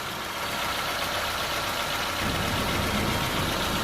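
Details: Petrol engine just after an oil change with a new filter, idling while checked underneath for leaks: steady, even idle with a constant hiss and no knocks or ticks. Sounds healthy, no leaks.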